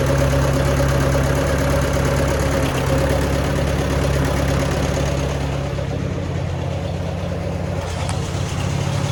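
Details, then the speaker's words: Allis-Chalmers WD tractor at a low, slightly lumpy, hunting idle, about three pulses a second; owner thinks the carburetor needs adjusting to even it out, after sediment bowl and fuel screen work. Cause suspected, not confirmed. "Well, so far so good. It almost sounds like I got to do a little bit of adjusting on the carburetor to get it to kind of even out a little bit."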